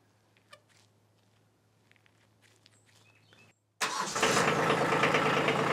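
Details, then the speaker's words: Kubota B2601 tractor diesel started after 50-hour service oil and filter change: quick catch, then steady even diesel clatter settling into a smooth healthy idle; normal start and idle. "I never get tired of hearing that sound I love it"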